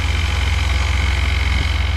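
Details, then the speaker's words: 2002 Chevy S10 at idle, new water pump fitted: fast even tick at engine speed; owner thinks a rear bearing is going bad; ticking at idle. "I know you guys can hear that thing ticking away I think the bearing in the back is going bad"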